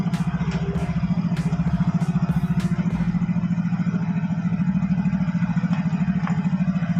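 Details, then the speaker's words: Yamaha Fino scooter road test after CVT work: smooth, steady drone with no shudder; the clutch judder (gredeg) is cured, a problem usually traced to a dirty clutch lining or bell on the secondary pulley. "Oke kang Bro posisinya sudah saya coba jalan dan hasilnya untuk gredeg sembuh Kang Bro"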